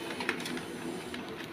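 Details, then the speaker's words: HP LaserJet Pro M401dn manual-tray pickup roller after repair: soft clicks and a brief whirr as it feeds, then a second quick pick attempt after the first fails; automatic retry, pickup working normally. "Khi mà nó cuốn lần đầu không được là tự động nó sẽ cuốn lại lần hai."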